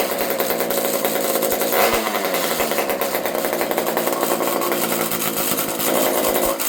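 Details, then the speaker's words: Old Partner P42 chainsaw fitted with a homemade expansion pipe. Steady high idle with a thin, buzzy edge and no drop-offs. The carb is suspected to be slightly lean, or there may be an air leak. "I suspect that this carb is a little on the lean side, but an old saw like this thing might have an air leak."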